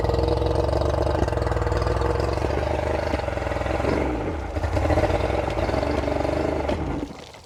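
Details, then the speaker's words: Revived outboard on flush muffs fed from a fresh-water port: fast, busy buzzing beat that stays up instead of settling low before dropping off; still idling a little bit high. "She's still idling a little bit high."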